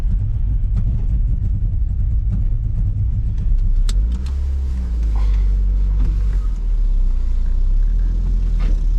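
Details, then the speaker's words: NB Mazda MX5 drift car with welded differential, 2°C January, after going into limp mode with no power and pinging: a low rumble with an uneven, stumbling beat at low revs. Engine missing. "yeah hear that yeah it's missing in it"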